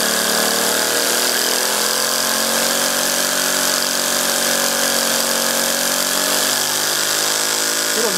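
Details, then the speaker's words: Three-cylinder radial compressed-air engine (7/16" bore and stroke, brass cylinders, aluminium pistons and rods, steel propeller) running near top speed; spring-loaded ball valves need about 15–20 psi minimum; fast steady high-pitched buzz, no knocks or misses; normal high-speed running. "pretty fearsome speed about the top there I think"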